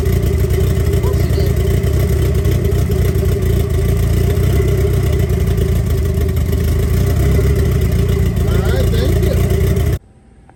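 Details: 1990 Mitsubishi Eclipse GSX, first start after intake manifold reinstall, primed by cranking with plugs out for oil pressure; catches and runs steadily with a few revs, even firing, no knocks or misses, shuts off cleanly; healthy.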